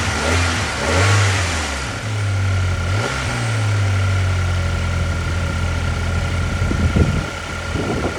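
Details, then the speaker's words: Audi A4 Avant 2.0L after new spark plugs: a brief rev, then a steady, even idle with no stumbles, and the earlier misfire is gone; normal idle. "Alright, we're set. Running good. Million times better. Way better. Listen to it. Yeah. No more misfire. Gone."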